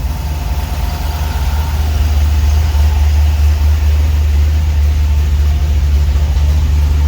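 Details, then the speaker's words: 1949 Chevy 3100 pickup with newly installed V8, first start: deep steady rumble with even rhythm, no knocks or misses; normal idle. "She sounds good. Woo-wee. Watch out, boys. Coming for you."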